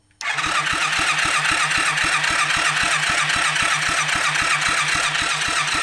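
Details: Rebuilt kids' 110cc quad on electric start: even cranking about four turns a second, never catches.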